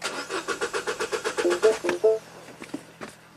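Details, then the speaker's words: 2012 Mini Cooper, N16 naturally aspirated engine, 113,000 miles, intermittent crank no-start with no codes: starter cranks steadily about two and a half beats a second, never fires; scope shows no power feed to ignition coils. "Obviously, we have no power feed to these ignition coils."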